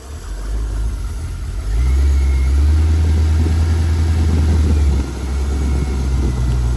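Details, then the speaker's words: Crash-damaged C5 Corvette engine, described as an LS1 and with no bearing noises heard: engine speed swells and sags after throttle release instead of settling, a hunting idle; the speakers suspect it is still pulling air. "This thing always yeah soon as I soon as I let go of that yeah it's just hunting"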